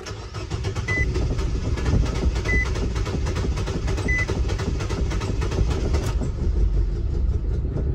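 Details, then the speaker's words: 2018 Nissan Versa 1.6L four-cylinder, crank-no-start after a paint job: catches after cranking, runs rough and uneven a few seconds then dies; suspected fuel problem, possibly low fuel pressure or bad gas. "Oh, it kind of started running there for a minute. It stayed running for a few seconds and then it shut off. Honestly, guys, as useful as a scan tool is, I think right now, it kind of sounds to me like we have maybe some type of fuel problem."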